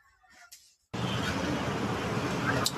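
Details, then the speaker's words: Yamaha SZ motorcycle with a carburettor after water got in the fuel tank, once the carburettor was refitted and fresh petrol added: it self-starts and runs at a steady, correct idle and revs cleanly. "तर मित्रांनो आपण पाहू शकता गाडी योग्य RPM set आहे त्याचबरोबर योग्य क्सिलरेटर होत आहे"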